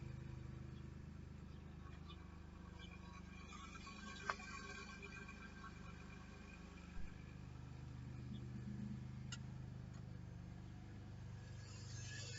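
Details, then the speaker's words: Chevrolet Camaro idling after fuel pump replacement, low fuel: steady, even exhaust rumble with no misses, stumbles or surging, exhaust sounds better and stronger; smooth healthy idle. "just wanted you guys to be able to listen to it the exhaust sounds better stronger"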